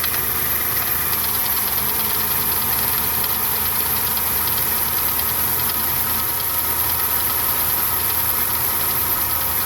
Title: FZJ80 F80 1995 Land Cruiser engine knock